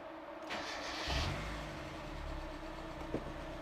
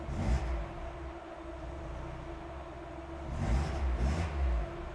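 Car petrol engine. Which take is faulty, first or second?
second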